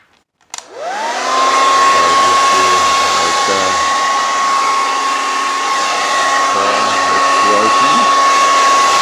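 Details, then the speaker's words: Revlon hair dryer after repair, test run: motor spins up within a second to a steady whine and airflow roar that holds even; working normally, nothing wrong. "Beautiful and wonderful. Nothing wrong, everything is works right there."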